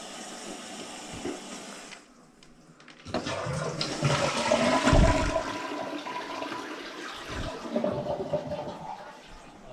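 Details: Toilet test: strong rush of water as the bowl empties, then a steady hissing refill that settles. Flushes and refills normally.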